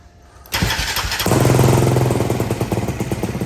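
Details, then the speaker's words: Can-Am DS450 ATV after fuel pump priming: starter drags engine in slow, labored chugs, three or four per second, never catching; slow cranking, solenoid under battery suspected, to be cleaned. "so we're still dealing with the slow cranking issue we're gonna pull the battery back out the solenoids underneath it we're gonna try and clean it up all good and see if that's the issue"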